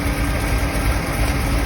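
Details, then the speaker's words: 1977 Chevy Camaro V8 after American Autowire rewiring, warming up at idle with coolant near 169°, just after the electric fan kicks on; steady, smooth, even burble with no knocks or misses. Normal warm-up idle. "I know this is probably pretty boring. You don't want to sit here and listen to this bad boy run, but it's getting there."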